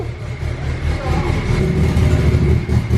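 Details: Turbo RZR with a 3584 turbo, newly wired and started on an AEM Infinity ECU: deep, choppy, uneven idle lope of about two pulses a second. The normal sound of this built turbo engine.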